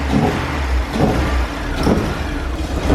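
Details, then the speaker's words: Widebody Porsche 944 project after fuel pump replacement, first running without starter fluid on old gas: revs rise unevenly with surging dips and stumbles on throttle, hesitating and not pulling cleanly; a slight ticking knock is also mentioned. "didn't like that let's sing smoking like a son of a oh I mean sucking down however old gas"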